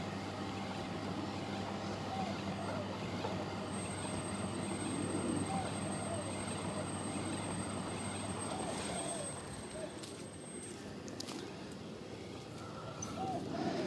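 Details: Miele T8929 WP heat pump clothes dryer, discarded unit being tested: steady low drum rumble with faint high whistle, occasional very high squeak possibly from a bearing; runs evenly and sounds fine.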